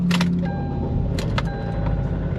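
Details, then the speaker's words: Kia Sportage, 146,050 miles, check engine light on and coolant lost: engine catches and idles unevenly with loud rattling bursts on startup, like rods. Blinking check engine light, feels like running on fewer cylinders; cause unconfirmed. "uh-oh did you hear that that doesn't sound good I heard a rattle like rods"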